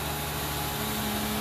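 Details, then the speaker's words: 2008 Saturn Aura with suspected CAN bus issues, engine cold with temperature gauge at bottom and P0128 already set: radiator fan runs on high speed at cold start, a loud steady rushing whoosh over a quiet idle. Cause not confirmed. "so i started it and if you listen the fan's on high speed"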